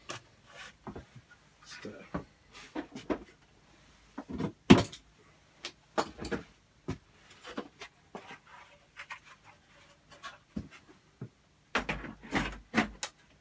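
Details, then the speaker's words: R2D2 droid dome motor with the dome refitted after shaving the edges: uneven knocks and scuffs at no steady rate as the dome catches on the outer rim and jumps; the mount is held by only one fixing. "it's a bit noisy yeah it doesn't doesn't sound too happy that stuff was catching there somewhere"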